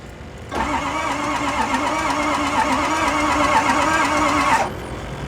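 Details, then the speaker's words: Ford F250 6.0L Powerstroke diesel that died in driveway: starter spins engine fast and evenly with no compression strokes, builds good oil pressure but won't fire; suspected no compression. "that doesn't sound very good give me a sec no it don't it sounds like got no compression hang on"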